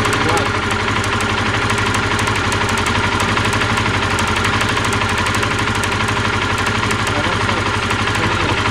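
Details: Honda CBR125R single-cylinder idle: sharp, high-pitched ticking at about four per second, heard while riding, from a rusted plug lead arcing sparks. The lead was cleaned as a stopgap and replacement is advised.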